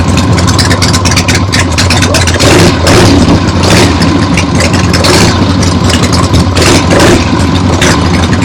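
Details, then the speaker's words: Freshly rebuilt 1975 Harley-Davidson XLH Ironhead Sportster V-twin on short neighborhood test ride; loud lumpy rumble through open pipes, revving and settling evenly, no knocks; a few carb farts, likely adjusted out once warm; transmission and brakes good; normal running. "Very happy with the way that went. This thing runs great."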